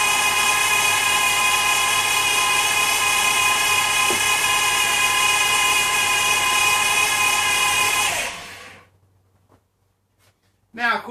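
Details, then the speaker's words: Dodge/Chrysler automatic transmission; steady high dry whirring whine holds level about eight seconds then cuts off; when cold all gears work about a minute then are lost; transmission fault suspected, not confirmed. "long story short that dry worrying sound and the other symptom is is you can let a car sit if it's cold you've got all your gears for about a minute and then they're just gone"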